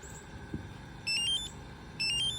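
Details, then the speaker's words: Toyota Avalon with Compustar remote start: two short high electronic chirps about a second apart when the key button is held until green before the car starts; normal remote start confirmation chirp. "you hold the key button until it turns green beep once at ya then the car is gonna start and this will make sound"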